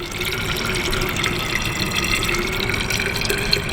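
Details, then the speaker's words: Boat freshwater tank being filled, with no water meter fitted. Steady, fairly high, hollow-toned hissing rush of water whose pitch rises as the tank nears full. "so this one's nearly full you can hear the sound the pitch rise"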